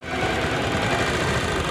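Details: Bajaj Discover 135 bike idling rough and uneven with lumpy, knocking beats instead of a steady patter: misfire, one spark plug getting no spark/current; cause checked among ignition coil, CDI and pickup.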